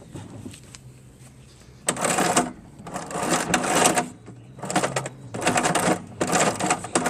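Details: Craftsman 5HP 24" dual-stage snowblower with heavily rusted drive chains and wheels that wouldn't move: bursts of dry metallic clatter as the chain is worked by hand, where a rusted kinked link binds going over the smaller sprocket.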